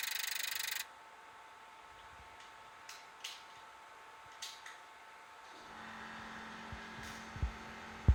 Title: NEC NP-M260WSG clicking noise